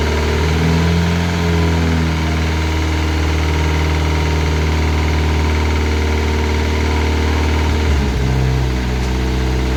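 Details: Classic Mini turbo, first start, ECU on laptop with lambda sensor: deep steady idle with a dull knock that could pass for a big end but traced to the rocker cover; valvetrain knock.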